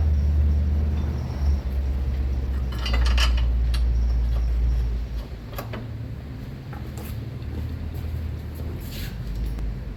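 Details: About 2017 Subaru Forester after front right lower control arm replacement for worn bushing that caused steering-wheel shaking and banging at about 70 mph in turns; steady low road rumble, light interior rattles, no shudder or vibration, smooth ride.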